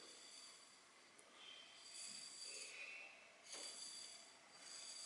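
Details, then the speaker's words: Bicycle wheel spun by hand while truing without a stand, zip tie set against the rim: a soft hiss swells and fades about once a second as an out-of-true section rubs each revolution and needs moving left. "It starts rubbing the rim. So that means this area needs to be moved that way, to the left."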